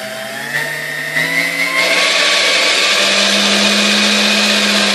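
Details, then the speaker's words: Dormeyer 4200 Food Fixer mixer, first plug-in before restoration: motor whine climbs in pitch with speed, then a steady harsh hum with rough high-end noise. Owner suspects lack of lubrication and plans to fully lubricate it on reassembly. "all right it does run as expected I mean I want to expect anything less but um you can hear noise as it gets up in speed which is most likely lack of lubrication"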